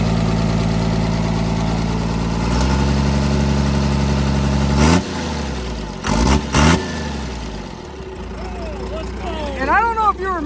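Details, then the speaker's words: Cummins diesel burnout truck thought blown up, restarted; settles to even steady idle, revs cleanly and drops back smoothly; slight sewing-machine exhaust kick said to be normal and common on these: normal idle. "man that's awesome not a noise at all that's that's normal that's common on these that's just the exhaust he's got a little exhaust kick like a sewing machine"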